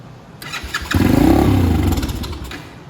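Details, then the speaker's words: Venom Shop X20 with Nibbi carburetor gummed by stale fuel: engine catches, runs rough and uneven about two seconds, then stalls right away; can't hold revs, dies off throttle because the carb and jet are really dirty, to be cleaned. "And it stalled right away. Let's try it again. See, I can't keep a proper rev. And if I let go of the handle, it just wants to die. And that's because the carb is and the jet is really dirty."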